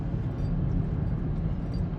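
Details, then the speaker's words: GMC Terrain with small turbo four-cylinder, test drive after replacing the failed brake-assist vacuum pump: smooth, even low rumble with no clanking or knock; far less engine noise than before, the old pump was likely the clanking source. "lot less engine noise already so that pump's probably been going for a while and I thought it was just the little forbanger clanking away but definitely"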